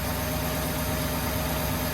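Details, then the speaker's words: 1972 International Harvester 1210 pickup, abandoned truck revived, fuel pumping heavily: even steady low V8 rumble at idle, no knocks, misses or ticking; normal idle. "Awesome, sounds good, but look at that, pumping fuel like nobody's business. Dude, she sounds good."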